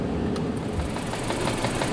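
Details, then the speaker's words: 2010 Mini Cooper petrol idling roughly with an uneven, stumbling beat from a cylinder 4 misfire; new spark plugs didn't fix it, and testing showed that cylinder's ignition coil pack is dead. "as you can clearly hear fixing the misfire didn't have to do with the spark plugs so we believe this coil pack is dead"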